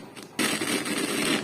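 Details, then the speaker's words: Amplifier volume knob being turned up and down: sudden irregular scratchy crackling bursts through the speaker from a faulty volume potentiometer, so the sound isn't clear. "तो friends आपने देखा जैसी मैं अपनी volume को तेज कम करता हूं तो फ्रेंड्स क्या होता है जो यह हमारा जो यह एंपलीफायर का जो वह लूंगी बटन है इसमें कुछ प्रॉब्लम आ गई है"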